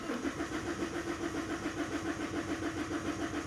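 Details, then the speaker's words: Common-rail diesel with a fault deliberately induced, watched via rpm, synchronization and rail pressure; battery getting low. Steady starter churn about 3.5 turns a second that never catches. Long crank, no start. "let's do here the cranking it will not start will crank"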